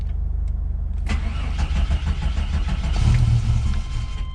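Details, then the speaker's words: 1993 GMC Typhoon: starter whirs and sometimes sticks, engine catches into an uneven, lumpy idle with backfiring, dumping fuel and black smoke. Rough idle; mechanic suspects ignition timing is out, possibly from a slipped harmonic balancer ring. "she's not happy all right we'll be back savage some backfiring and hard idle and a lot of dump fuel"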